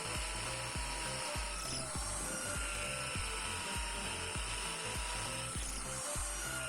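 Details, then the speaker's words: Bosch GSB 550 Professional 550 W impact drill after one year of use, drilling in hammer (impact) mode with light pressure: steady motor whine over a fast, even hammering rattle; impact action working well. "Ya rekan-rekan, terdengar ya suara impactnya atau hentakan ke depan dari bor ini."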